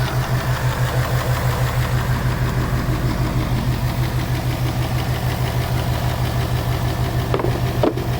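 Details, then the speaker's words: 2018 Mustang GT Coyote at idle: a low, hollow clapping tap about three per second from the intake manifold runner control flaps, not engine knock. It stops when the blue IMRC connector is unplugged and returns when it is plugged back in. "see i plugged that back in and here comes that clap again that tapping"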